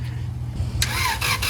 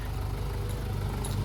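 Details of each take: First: Honda Integra (DC2) junk part-out engine, at night on first start after install: cranks and fires, then a rough idle with a quick puffing tick about twice a second; exhaust manifold/header leak, owner suspects the header is dented or cracked. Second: Honda Integra (DC2) junk part-out engine with a knock, warmed to operating temperature: steady low idle with an even, unbroken rumble and no knocks or ticks; running smooth at normal idle.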